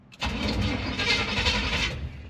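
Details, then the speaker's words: 1974 Chevy C20 small-block V8 after sitting about 3 years, first key start attempt; starter churns steadily about two seconds but never fires; fuel filter nearly empty, not pulling fuel despite being shot in twice; crank no start, no fuel delivery. "we're not pulling any fuel G is there nothing in the bowl I mean in the filter just a little bit it's shot in there twice but you keep cranking it and it's like it's getting nothing not like it's pulling fuel"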